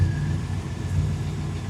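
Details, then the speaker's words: El Caballero V8 with fuel injection that still has to learn, freshly running: steady even idle without hunting, but the tach reads about a thousand rpm too high; idle speed set too high, faint tapping noted afterward. "Yeah, that tack is about a thousand too high."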